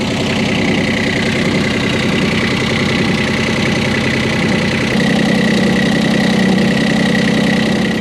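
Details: Sailboat diesel idling in neutral with the shaft stationary: a coarse, uneven rattling grind over a steady drone; the vibration has worsened since purchase, and with the shaft still, the cutlass bearing and shaft alignment are ruled out.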